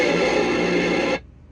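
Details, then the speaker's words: Cobra 29 LTD Classic CB radio in a 2022 Freightliner Cascadia, squelch turned fully left then back right while tuning: loud steady static hiss for about a second, then abrupt near-silence as the squelch closes and filters the noise out. "Sometimes you'll have a little bit more feedback coming in, kind of like this. Okay, turn it just a smidge more, just a little bit more till it filters that noise out."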